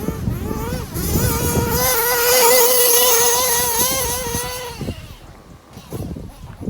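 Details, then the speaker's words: Nitro truggy engine (Jammin) tuned rich to run under 250°F, reaching about 33-35,000 rpm on the straight: high buzzing winds up, then revs fall away abruptly under braking; idle drops right away when braking. "that idle drop down right away yeah so that's why i'm super cautious when breaking in front of this tabletop because it'll do that"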